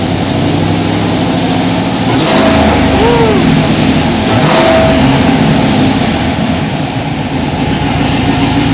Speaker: Sounds pretty good. Except for that exhaust leak that I can hear.